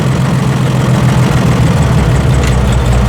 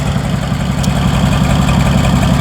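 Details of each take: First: Massey Harris 102 Senior tractor, first run in 10 years, carburettor running a little lean and adjusted: slow, heavy, uneven idle near stalling with deep low thump; dying at idle because throttle notch set too low. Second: Massey Harris 102 Senior (Twin Power) tractor, bought at auction, first run in 10 years, started on choke after checking oil and fuel flow: low steady chugging idle, even beat, no misfires or knocking; 25 lb oil pressure, no charging shown.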